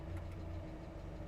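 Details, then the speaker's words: Mazda Miata after throttle body cleaning, AC switched on at idle: low, steady idle drops slightly under AC load but holds without stumbling or stalling; engine idling normally. "all right so now let's turn on the air conditioner because here the idle did change and it went down a little bit"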